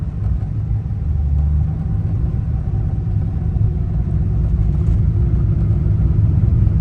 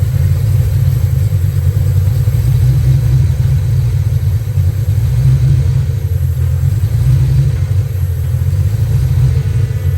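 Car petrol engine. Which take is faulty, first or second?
second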